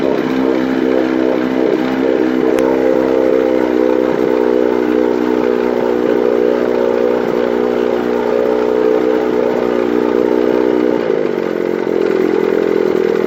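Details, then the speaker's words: 1955 Mercury Mark 20H 16HP racing outboard, ignition timing corrected and cracked plug boot found, water pump working: steady, even buzzing drone with a high fast firing note holding speed without stumbling; normal running. "but at this point i'd like to start it up for you and show you how nice it runs"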